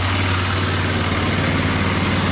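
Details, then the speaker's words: Yamaha Bear Tracker 250 (YTM250) shaft-drive ATV single-cylinder at idle on first start after a new carburetor and intake were fitted, running on a jump pack with choke pushed in; steady, even putter with no hunting or stumbling, a normal healthy idle. "I'm pushing it in for now wow even going to idle got to love"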